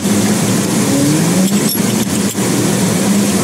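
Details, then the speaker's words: 1987 Toyota MR2 at an SCCA rallycross after overheating trouble mid-event: loud, steady high-pitched squeal riding over the engine and holding its pitch; a slipping drive belt squealing. "W that damn belt squeeing to beat the band I don't even know what run I'm on"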